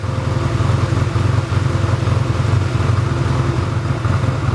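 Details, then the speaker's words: 1985 Honda Rebel with 2,000 miles, stored about 17 years, idling while warming up after its first start: steady, even low thump with no misses or knocks, a normal healthy idle. "Sounds great, huh? So now there are a few things that we need to check before we test ride it."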